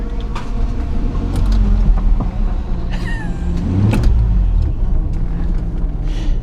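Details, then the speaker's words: 1986 Nissan 300ZX, hurricane-flooded, running again after its stolen computer was replaced and the ground wire reconnected, just before its first drive: engine running with a brief odd squeaky chirp falling in pitch; source not identified. "I don't know what that is"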